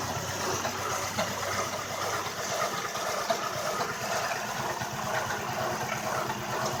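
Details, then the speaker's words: Toyota Camry 1MZ-FE idling after a timing belt replacement: uneven, stumbling idle with lumpy beats over a hissy background. It is a dead cylinder, because an injector left unplugged during the misfire check was the problem, so it was plugged back in. "I think I found my problem I when I was checking for the misfires I pulled the injector off so I pop that back in"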